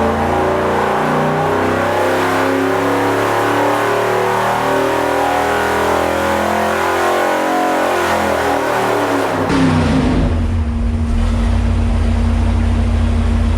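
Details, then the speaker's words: 1972 Dodge police car 440 big-block V8 on dyno, warm-up: deep rumble climbing through several revs, then dropping to a steady, even idle; healthy, smooth-running engine. "Sounds like a 440, doesn't it?"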